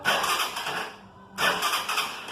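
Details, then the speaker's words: Dafra Speed motorcycle starter motor after repair: two short bursts of smooth, even starter whir with no grinding; starter now sounds healthy. "tá mais parecida com motor de partida mesmo né"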